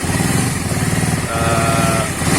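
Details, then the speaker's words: Suzuki Satria FU 150 single cylinder after replacing a worn cam chain that caused rough noise, with fresh oil; even steady beat with no rattle or chain slap, smooth healthy running. "Sekarang sudah kita tes, suara sudah halus ya, hanya kerusakan pada rantai keteng atau rantai penggerak."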